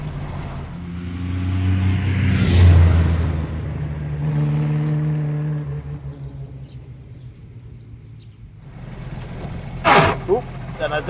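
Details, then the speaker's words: Classic side-valve Reliant Regal on a drive: revs rise and fall through the gears, then a short, harsh grating crunch on one change because the clutch was not double-declutched. "don't didn't double the clutch there. So, that's why we ended up getting a crunchy gearbox."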